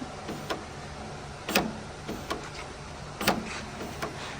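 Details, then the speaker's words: Honda Civic FN2 Type R in a paint shop: sharp clicks and clunks repeating every second or two as the central locking cycles lock and unlock by itself; mechanic thinks it happens when the lock isn't upright, cause unconfirmed. "That sounded like that was locking and unlocking."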